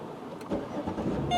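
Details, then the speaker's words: 2007 Chevrolet Malibu Maxx remote-started from inside with doors locked: a short crank that catches promptly and settles into a smooth idle, with a chime at the end; a clean, healthy start. "and there you go. As you can see, the car just started, and this is, I did, you know, what's called a cold and a warm start, of course."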